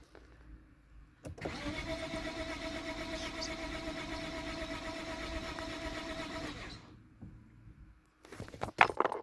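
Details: Lexus IS250: steady starter cranking for about five seconds with even compression pulses, never catches. Cranks but won't start, cause suspected, not confirmed.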